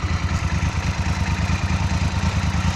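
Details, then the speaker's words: Moto Guzzi V10 Centauro 1000cc 100hp V-twin with fuel injection, started completely cold: the fuel pump is heard first, then an even, steady idle with a regular low thump and no timing (distribution) noise; a normal idle. "le moteur est absolument froid le moteur tourne là il y a pas un bruit de distribution"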